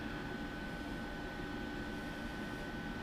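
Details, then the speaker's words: Homemade R600a condensing unit (27 g R600a, 140 W) in a Budweiser drink cooler, evaporator around -11 °C. Quiet, even hum with a faint steady tone and no knocks or rattles; the compressor runs smoothly and the temperature drops quickly. "but you can hear it runs pretty quiet temperature drops pretty quick"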